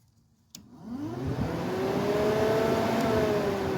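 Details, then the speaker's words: Buick Encore after a new radiator cooling fan assembly, fan run by jumping its relays: click, then a whoosh spinning up to steady high rushing airflow, no rubbing or rattle; high and medium speeds both work. "and that works and this really right here is going to be the medium speed and that works i'm sure you guys can hear the fan turning on so everything works"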